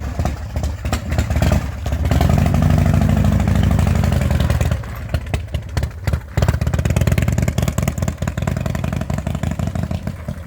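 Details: 2004 custom Harley-Davidson V-twin, bought as a non-runner, running after a primary chain gear refit with Permatex and a set screw: deep loping lope with a rev blip, then a steady idle; runs fine.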